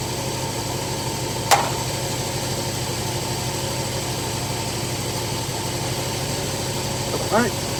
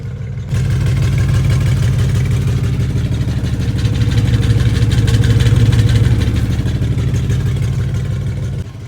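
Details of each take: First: Carbureted engine idling after carburetor, distributor and timing adjustment: an even, steady idle with a smooth low hum and a couple of stray clicks; a loose muffler rattle is suspected; engine idling properly. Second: After carburetor adjustment, the engine idles steadily and doesn't sound bad, but a faint loose metallic rattle rides on the exhaust from the back. The owner suspects loose muffler internals; not confirmed.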